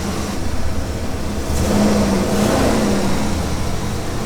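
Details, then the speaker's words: 1996 Ford E-350 Club Wagon van, 460 (7.5L) V8, started after replacing all 8 overdue, rusty, worn spark plugs, doghouse off: fires up and settles into a steady, even rumble with a smooth mid rev, no misfire or stumble; normal running. "all right guys well that's the spark plug job it's all done and before we put the doghouse on go ahead and start it up make sure it runs fine [Applause] it's running pretty good"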